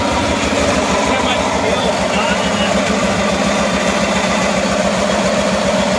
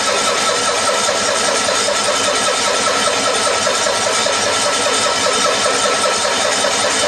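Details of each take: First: 1974 Cushman Truckster Haulster utility engine after wiring repair and redone exhaust, running again after a long while: steady, even note at one speed with no misses, knocks or rattles; runs cleanly, normal running. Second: 1974 Cushman Truckster Haulster cold start after sitting for years and a wiring fix. Long, even starter cranking with no firing while the mechanical fuel pump primes a dry carburetor from a full tank; it later starts and runs.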